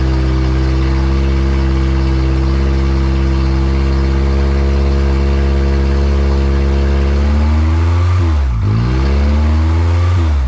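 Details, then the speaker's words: Built Honda K20A2 first start, very loud; alternator charging about 14 V; rough loud idle sagging and climbing back twice near the end; surging idle. "but uh the car turns on um it's surging idle"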